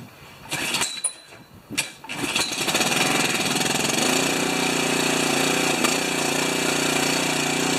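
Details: Pressure washer with a General TT9091 pump after fitting ceramic plungers, unused for three years, started on choke: a few sputtering pulls catch at about two seconds, then a steady, even buzzing run with no knocks.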